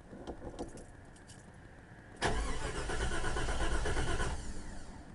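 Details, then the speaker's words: 1989 Grand Wagoneer cold start at 50°F, with a known bad miss, an exhaust manifold hole and fresh vacuum line repairs: slow, uneven cranking drags on the Chrysler starter for seconds without catching; hard start, engine flooded. "Don't you just love that Chrysler starter? I'm going to get a Ford."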